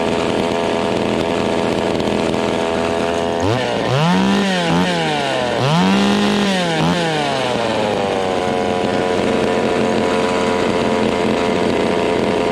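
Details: Vintage Stihl 020 top-handle two-stroke chainsaw, cold, plug wire replaced, low jet adjusted: uneven surging revs settling to rough low idle close to dying; stalls when idle is lowered; owner suspects ignition fault such as bad coil.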